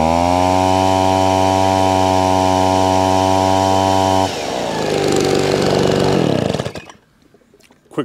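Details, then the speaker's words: Small two-stroke leaf blower after two new fuel lines, new fuel filter, tank flush, properly mixed fuel and cleaned muffler: steady even high-revving buzz, no stumbling or surging, drops off cleanly at shutdown; still slightly smoky as oil burns off. "okay so there you have it nice or simple fix um two new fuel lines a new fuel filter and a tank flush and then literally just put some some proper pectoral in it"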